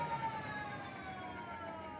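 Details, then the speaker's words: Electric scooter wheel with a new Schwalbe Super Moto-X 20 x 2.4 tire, spun up on a box: a faint whine slowly dropping in pitch as the wheel coasts down, with no rubbing; owner unsure whether the noise comes from the motor. "it's kind of got that that's still there I don't know if that's in the motor or what"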